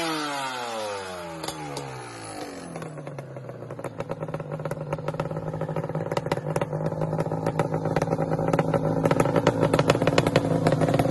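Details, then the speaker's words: Yamaha Banshee two-stroke quad with long mufflers: starts and settles into a quiet, even, well-muffled burble; normal two-stroke running, just quiet. "they don't sound bad like what you guys just heard you're probably gonna be like dude i think that sounds pretty good and it does i mean it really doesn't sound bad but it is quiet"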